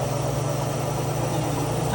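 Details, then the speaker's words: GE washer spinning after repair. The spin noise came from the motor pulley bearing, not the tub bearing. Now a smooth, steady low hum with no grinding or whir: normal spin. "Miren, quedó serita la máquina. Gracias a Dios que quedó bien."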